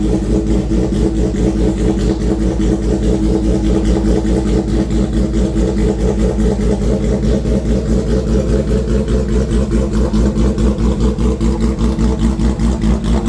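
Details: Custom 400 HP street motorcycle build, fired up with light throttle only: loud, deep, even lope with firm regular pulses and light blips; motor runs strong and clean, healthy.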